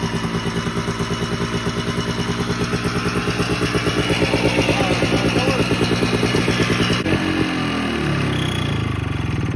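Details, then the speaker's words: 1987 Ski-Doo Citation LS Electro 250 two-stroke snowmobile found at dump, makeshift fuel line with primer, gas possibly put into air box; rapid popping fairly even at fast idle, easing off near the end; normal running. "we may or may not have put some gas directly into the air box"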